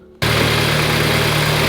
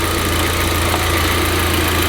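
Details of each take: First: VW Golf GTI idling after refitting a coolant pipe: an even, steady hum with no hiss. The earlier whistling noise is gone; normal idle. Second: VW Golf GTI idling lumpy after new fuel filter, heard close to engine: steady hiss of rushing air over a slightly uneven idle; air escaping from a cracked vacuum line.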